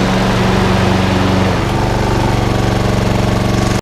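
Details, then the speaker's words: Honda HRX476 lawnmower after rota clutch repair, clutch now working: strong, regular single-cylinder putter at steady speed, then abrupt shutdown; normal running. "At least now I know the rotor clutch is now working. Just going to fire it up one more time because I'm over the moon and ecstatic."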